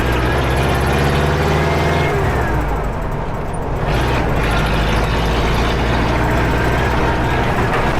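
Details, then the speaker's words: Air-cooled V4 engine converted to LPG, tuned to start on LPG without gasoline, at least in summer: a steady, even low drone with no misses as it settles and pulls away easily, running much more smoothly on LPG. "We even managed to tune it so it starts easily on LPG without gasoline, at least in summer. The engine runs much more smoothly now. It pulls away easily and confidently."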